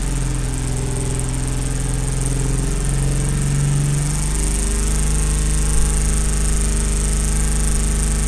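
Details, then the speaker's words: 1970 Mercedes-Benz 280SL during pre-purchase inspection, second start: low, uneven idle that struggles for about 15 seconds with a wobble and dip, then stumbles on the accelerator, a misfire felt and heard, cause not pinned down. "I let it idle on its own for I think there's like 15 seconds or so and so you can hear how it kind of struggled a little bit and then when I stepped on the accelerator finally you can hear that the brook where it's just not it's not firing correctly"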